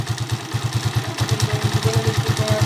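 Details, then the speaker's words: Honda TMX155 after clutch damper and clutch lining replacement plus a tune-up: steady, even single-cylinder thump about nine beats a second with no loose clatter; the clutch sounds quiet. Normal idle. "Itong motor ni kabro, napaka-smooth pa."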